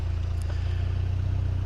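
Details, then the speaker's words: 1987 VW MK1 Cabriolet idling after in-tank fuel pump replacement: even, low idle with regular exhaust pulse, no misses or stumbles; normal idle. "but she's purring like a kitten now. I'll have to take her for a scoot."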